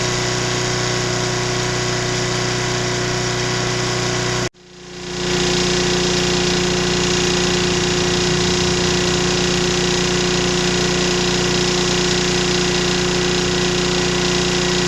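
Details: Mid-1980s Nissan GX1000 750 W generator: runs smoothly with no load, then the note drops with light metallic knocking under a 500 W shop-light load; owner unsure whether rod knock or something loose in the muffler.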